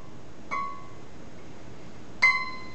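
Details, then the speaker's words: Scroll saw blade plucked after further tightening the tensioning knob; bright plucks giving a clear, high, ringing ping that fades quickly. Correctly tensioned blade. "that's still not quite good enough there we got a nice high pitch sound"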